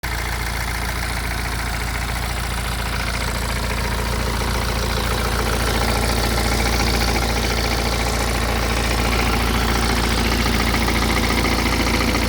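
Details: BMW E87 116d, N47D20C diesel with 220,000 km, idling with a busy metallic rattle pulsing three to four times a second over its steady clatter.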